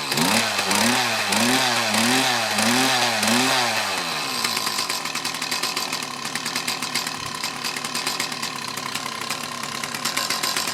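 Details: Mantis tiller with two-stroke Kioritz Echo engine, after cleaning around carburetor and fuel lines to cure bogging; quick throttle blips rise and fall cleanly without bogging, then it drops to a buzzy, slightly uneven idle.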